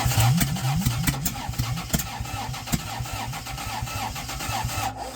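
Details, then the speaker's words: Toyota 2JZ in a Geo Metro with an adapted slant-6 distributor, rotation fixed, fuel system not yet hooked up: catches, then runs lumpy with irregular pops; timing off (later found one distributor-gear tooth off) plus a vacuum leak. "I think we still got a little off somewhere. So, it turns out I guess I have a vacuum leak I need to address, but uh this is the best I can do out of it."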